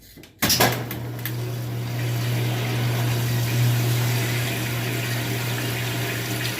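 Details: Washing machine that would fill and agitate but not drain or spin, tested after its faulty lid switch was replaced: click, then water rushing in over a steady, even low motor hum; filling and running normally.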